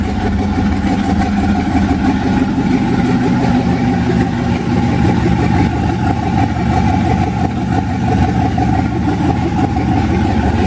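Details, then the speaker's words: 1991 Mazda B2200 with 6.0 LQ4 V8 twin-turbo swap, 80 lb injectors, first startup after engine rebuild, assembly lube smoking off: loud, lumpy, choppy V8 running with steady exhaust drone; still untuned. "open a cop still needs to be tuned but very exciting to hear the motor finally run after rebuilding the stupid thing"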